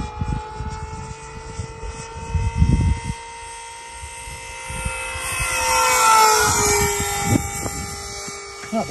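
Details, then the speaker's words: Experimental Blob model powered by two 50mm EDF units on 3s lipos: high fan whine wavering and sagging as one fan surges. "No, that fan sounds awful. You can hear it surging."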